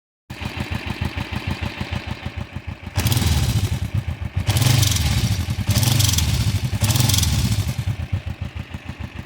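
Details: 2008 Kawasaki Vulcan 500 LTD, 26,000 miles, normal oil level, no warning lights, idles hot with a steady rapid clicking over the exhaust beat through throttle blips; noise only when hot, absent cold; cause unknown.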